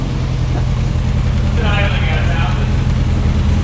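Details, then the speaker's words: 1967 Morgan Plus 4 Drop Head Coupe, not run in years, just after first cold start: steady low rumble at fast idle with slightly uneven beat, dropping through 1,000, 900, 800 rpm and rocking a little as it settles; oil pressure gauge stuck. "yeah 1,000 like 900 800 rocks a little bit"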